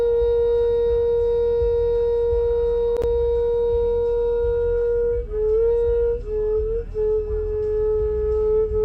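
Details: 2019 Ram 1500 Bighorn stopped in drive or park: steady mid-pitched drone that wavers and dips slightly; traced to a sticking-open A/C valve, and pressing the A/C button temporarily stops the hum.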